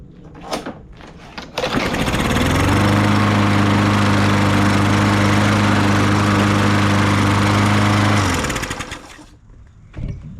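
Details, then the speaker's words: Troy-Bilt TB200 push mower with Briggs & Stratton 625EX, after sitting outside for years: fires quickly and settles into a steady, even single-cylinder drone with no misfires or rattles; normal running. "I'll be Dar it fired on the first and it cranked on the second I am very surprised"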